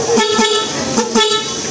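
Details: Newly installed cheap Shopee replacement horn (first of a dual-horn pair) tested after the old one kept failing: loud, steady, buzzy blast held evenly about two seconds; strong and working properly.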